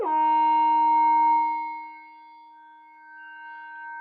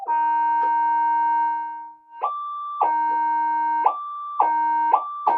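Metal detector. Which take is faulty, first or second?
first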